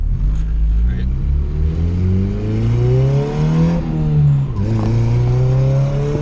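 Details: Turbo B20V Honda EK on tuning run with boost raised: engine pulls hard rising in pitch, then stumbles and breaks up before recovering; misfire under boost, suspected spark plug gap, options being less boost or new plugs.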